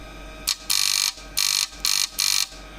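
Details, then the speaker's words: Car headlight projector lens high-beam shutter solenoid fed from a daytime running light board, ignition on and engine running: harsh, raspy buzz in short on-off bursts, roughly 50-100 Hz, as the pulsed DRL modulation makes the shutter buzz; rewiring through a separate circuit stops it. "we have daytime running lights and the curtain starts buzzing with the help of this driver, well, it’s not a driver, it’s a board for daytime running lights"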